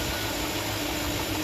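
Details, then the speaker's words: 2007-2014 Chevy 5.3L V8 after serpentine and accessory belt replacement: an even V8 idle under a steady light hiss with no rising belt whine. The owner says the earlier whine is gone; normal idle. "Yeah, I think that's my whining problem, so this will help you. I don't hear the whine. It's just the engine running."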